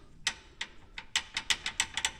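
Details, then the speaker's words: 2023 Polaris Ranger 570 SP Premium brakes after an anti-rattle spring mod: sharp, loose metallic ticks in uneven bursts, several per second, with nothing else running; the pads still rattle because the springs have play and need tightening. "Now, the springs are right around a play in them. And you can still hear a rattle, but what we're going to do is"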